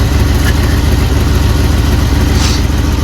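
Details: 1979 Jeep Cherokee AMC 360 V8, idling after sitting 3 years, before first drive; carburetor barely working. Deep, even burble with steady pulse, no misses or knocks; owner thinks it's hitting on all 8, normal idle.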